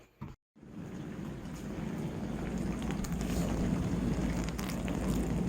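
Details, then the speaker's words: Bosch dishwasher after replacing the electric water inlet valve (no water entering): click then steady hiss of water rushing in, building smoothly and holding even, no leaks; inlet valve filling normally, repair appears successful. "Hear that? That's water. So, I'm going to make the assumption right now I fixed it."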